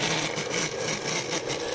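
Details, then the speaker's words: Taiff 127 V hair dryer with its cover missing runs with a harsh, rough scraping rub over the airflow roar, the fan scraping because of a worn motor bearing (mancal). "aqui tá faltando essa tampa e ele tá fazendo barulho viu gente ó aqui dentro dele e ele tá fazendo barulho estranho"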